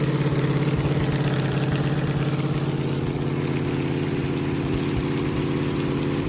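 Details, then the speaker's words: 1969 Camaro 396 big-block Chevy after replacing a worn-down cam lobe with new cam and lifters to cure a weak, intermittently misfiring number 7 cylinder: deep even idle burble, no tapping or stumble. "so now i'm just going to go back together with it new cam new lifters and i'm sure it'll run a lot better this time so"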